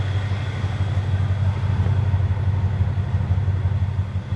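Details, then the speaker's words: Chevy Nova Super Sport V8 without exhaust fitted, vacuum gauge connected before carburetor adjustment: deep, steady low rumble with an even pulse about three beats a second; idling much better, smooth healthy idle. "boy sure idling a whole lot better though i don't know if you guys can hear that even"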